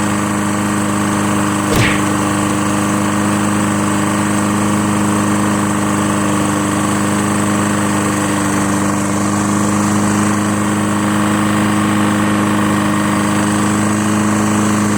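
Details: Lawn-Boy Insight 10682 mower, Tecumseh 6.5 engine, after cleaning water-contaminated fuel from the tank and running very low on oil: smooth, steady drone at even pitch with no misses or hunting, running normally.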